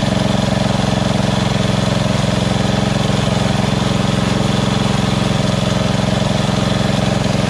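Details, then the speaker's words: Small engine at lowest idle setting after the surging carb was replaced with a Chinese-copy Nikki 590399, O-ring intake manifold and backward curved fuel nozzle: even, unwavering low putter at a fixed rate, no rise and fall; no surging. "this is on the lowest idle right here go even lower if i wanted to that's it that's the highest so awesome"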